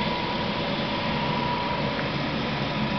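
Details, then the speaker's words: 1995 Jaguar convertible idling; smooth, even idle with a steady low hum and no knocks, ticks or misses, a healthy engine. "at all really it's very nice you can hear it running"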